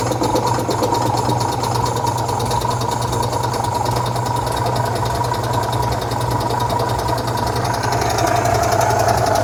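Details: 1966 VW Type 3 Fastback air-cooled flat-four just fitted with new dual single-port 34 carbs replacing factory carbs: busy but steady idle with even patter and a light whistle, no misfire or knock; normal idle.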